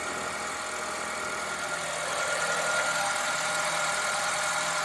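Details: 2013 Honda Civic, R18Z engine, pre-purchase inspection: engine starts quickly without hesitation and settles into a steady, even, smooth and quiet idle with a faint belt-area hum, nothing out of place.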